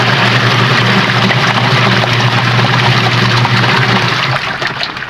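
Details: Sharp ESW15 washing machine after gearbox/gear keys replacement and mismatched pulley fix, test wash with water checking for rubbing and leaks; steady motor hum under swishing water, even agitation, no rubbing or knocking; normal wash cycle.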